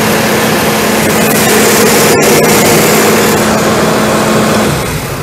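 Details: ARIACOM SAX 112 diesel screw air compressor (Cummins 93 kW engine, Atlas Copco screw block, 12 atm working pressure), warmed up then loaded via toggle, at maximum pressure with the engine at 2000 rpm: loud even diesel drone with a steady fast beat and airy rush; normal loaded running.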